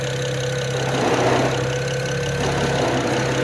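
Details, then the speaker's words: BMW 335i E92 coupe twin-turbo, first start after engine reinstall: idle rumbles with an irregular stumble every second or so, owner hears a bit of a miss; no codes, oil 147, coolant 180, cause unconfirmed. "all right she's idling she's it sounds like she has a bit of a miss there"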